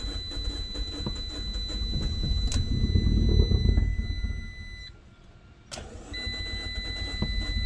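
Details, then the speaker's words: Salvage 2013 Fiat 500 Abarth turbo, clutch in: several seconds of cranking before it catches, then a second try. A check engine light is on and bad gas is suspected. Hard start, cause undiagnosed. "there we go yeah some bad gas or something there's a check engine light on that might be causing it to have a little hard start issue"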